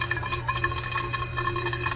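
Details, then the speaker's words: Pipe with valve locked off tight: steady hiss of rushing water with faint whistle in a small room, still flowing past the shut valve; noise only when shut tight, cause unknown. "It's all tight, tight. But when you lock it off tight, it makes noise. Where's the water going?"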